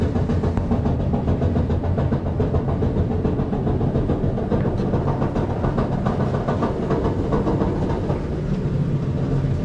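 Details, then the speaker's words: Samsung dryer drum turning with a heavy, uneven rumble and repeated on-off popping thumps from a damaged support wheel that needs replacing. Worn drum support roller. "you hear that popping sound on off on off we should have to take it off uh piece by piece and replace the damaged wheel"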